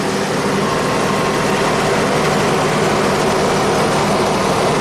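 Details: 1991 Audi Turbo wagon, engine hot at idle, coolant near boiling (~97°C at radiator): steady rushing air roar as the electric radiator fan kicks on; the circuit works normally, though the fan had not come on during the first test drive.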